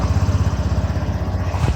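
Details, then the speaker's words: Mondial Fury 110i scooter single-cylinder, after reinstalling exhaust: formerly made a putt-putt exhaust noise, now even pulses about twelve a second, no blowing or puffing at exhaust; normal idle after repair. "önceden Pırpır ses yapıyor egzozda şu an güzelmiş biraz kısası motor yine biraz daha sıkacağım ufaktan rölantide çalışsın"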